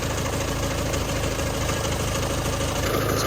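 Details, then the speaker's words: Car idling evenly and quietly, smooth low rumble with no slapping or rattling from the front, after fixing a very loose timing belt tensioner whose spring had failed, letting the belt slap and the engine run badly. Normal idle. "quiet, isn't it? I fixed the horrible sounding sound."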